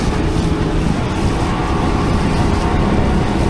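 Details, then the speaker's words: 1969 Thunderbird tri-hull boat, Mercury 115 hp outboard at full throttle on the river, rough and uneven with a cylinder dropping in and out, not hitting all six; owner suspects the fuel pump or a linkage issue. "Oh, it's not hitting all six now. Nope, not happy. That fuel pump might not be operating."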